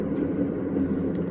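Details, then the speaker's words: Whirlpool Cabrio washer WTW8500BW0 in diagnostic mode on high spin: steady loud jet-like roar, a sure sign of worn tub bearings needing replacement. "Now when we put it on spin, we can hear it sounds like a jet, like an airplane, and that's a very sure indication that this washer needs a bearing."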